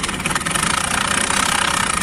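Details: Older Activa scooter at idle: fast, light metallic rattle from the kick-start side riding steadily over the engine, typical of a worn kick-start mechanism on older scooters.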